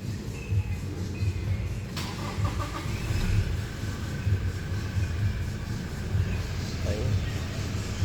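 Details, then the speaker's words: Toyota Innova 2.8 diesel, after repairing the alternator and refitting the drive belt to fix a noisy worn pulley and a lit battery warning; even low idle with a steady beat, noise gone, and no squeal or chirp. "Ayan, okay na mga paps ano, nawala na nga yung ingay tsaka smooth na yung pinakatakbo nung makina."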